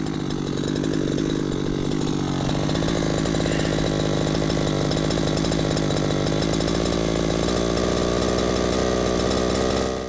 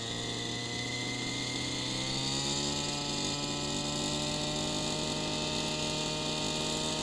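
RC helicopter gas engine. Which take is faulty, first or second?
second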